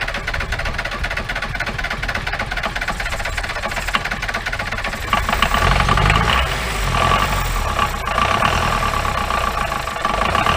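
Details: 1953 Mercedes 170D (W136) four-cylinder diesel, once-seized restoration project, idling just after starting with the throttle unhooked: rattly, uneven idle with loose knocking and a wandering beat, and heavy smoke, believed raw fuel; owner suspects injector nozzles, with valves adjusted and timing doubted.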